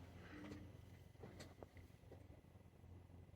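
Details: Citroen Berlingo 1.6 HDi automated gearbox, actuator test via diagnostics with ignition on and engine off: a few short, crisp clunks over a quiet background as the actuator engages gear two cleanly; normal gear engagement.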